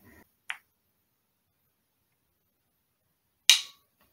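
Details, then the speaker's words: Toyota automatic transmission shift solenoid bench-tested with battery and test bulb: two short sharp clicks, stronger when the negative wire is disconnected than when connected; solenoid plunger operates and passes the test. "do you hear that big click once I took off the wire from the negative it also clicks when I connect it but not as strong as when I disconnect it"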